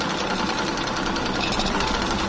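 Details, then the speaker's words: Kawasaki Blitz motorcycle bought running rough with white smoke: fast, coarse rattling clatter over the whole engine, said to sound like a shipwreck; engine had run out of oil, wearing the piston and connecting rod. "jadi hal seperti ini katanya suaranya seperti kapal pecah"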